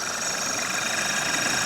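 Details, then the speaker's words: Running engine with the high-pressure fuel system forced into default maximum-pressure mode: a steady high-pitched hiss and squeal over the engine, not rhythmic, coming from the fuel pipe running from the pump to the rail. "a default high pressure mode, so it runs at maximum pressure, and we get this kind of squealing noise."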